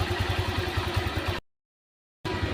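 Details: Honda Vario scooter with a radiator that empties fast, overheating and a warning light, idled about 10 minutes for a cooling test: steady, even low putter with regular firing and no knocks or rattles; a normal idle.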